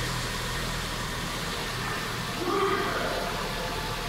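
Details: Kia Cerato G4NA 2.0 petrol engine, under 100,000 km, which had knocked hard when cold with scored cylinders 2 and 4, at first start after rebuild with all 16 hydraulic lifters replaced: steady, even idle, light clatter, no knock.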